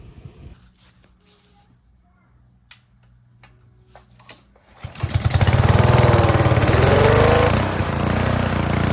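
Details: Honda GCV160/GCV190 pressure washer engine, previously sat unused and wouldn't run, after carburetor cleaning: quiet at first, then catches near five seconds and settles into a steady, even run at constant speed.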